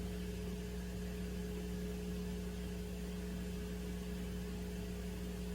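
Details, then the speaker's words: Turntable with a moving coil cartridge: a steady low hum with a higher overtone. It does not change when the motor starts or as the arm nears the record centre. The owner suspects pickup from the turntable's transformer. "So the transformer, that's what I figure it's picking up. Because and I'm still getting a hum."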